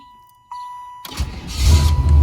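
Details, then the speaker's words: Chevy Impala/Caprice that had run out of gas, restarted after adding 2 gallons of fuel: a brief crank, then the engine catches immediately and settles into a steady low idle. A clean, healthy start. "Fire right up. I ran out of gas right here in this spot. So I just poured 2 gallons of gas in there, so that's probably what that was."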